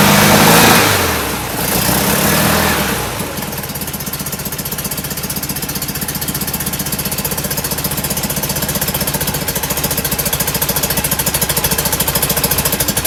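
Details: Enlarged performance VW air-cooled carbureted engine with larger air filters: catches after rough seconds, then a loping, puffy, uneven idle; running rich, as it did before the rebuild, idle jets suspected too big.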